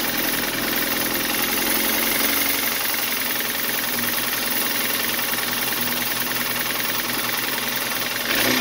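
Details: 2013 BMW 328i F30, N20 twin-turbo, 122k miles, after blown head gasket diagnosis, parts cleaned, fresh oil and filter, warming up: bright clattery uneven knock about three beats a second over idle; owner suspects a problem in the cylinder head, unconfirmed.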